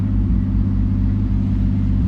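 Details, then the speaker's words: Turbo 2JZ IS300 with new OEM coil packs fitted, idling with a deep six-cylinder rumble and irregular soft exhaust pops like a miss though engine feels smooth; AFRs about 16.5 at idle, owner suspects igniter, not confirmed. "and you can hear it it's popping the exhaust as it's idling it's like it's missing but the at the same time the engine feels super smooth"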